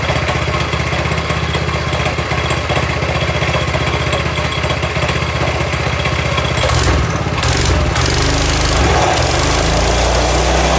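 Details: Toro SG-6 stump grinder with Honda GX200 after turning the idle stop screw 1/4 turn right: steady, even single-cylinder putter holding a stable low idle; normal idle.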